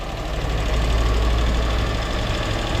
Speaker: холостые кстати неплохие выезжать будем сейчас надо выехать крутануть здесь по гаражам